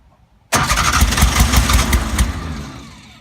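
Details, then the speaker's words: Porsche 356 Speedster that ran earlier the same day won't start: sudden catch, about a second and a half of ragged firing, then it winds down and dies. Fuel starvation is suspected ('like there's no gas'); it was later push-started. "Because it fires, but it doesn't go Do you through."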